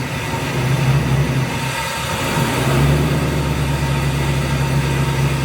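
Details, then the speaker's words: 1994 BMW E36 325is with LS1 V8 swap and newly installed T56 transmission, straight-pipe exhaust, run through gears on stands after sitting a couple of weeks: deep even rumble dipping as each gear engages cleanly, no grinding; shifting fixed. "whoa I think she's fixed boys everything seemed to work well and I could actually shift"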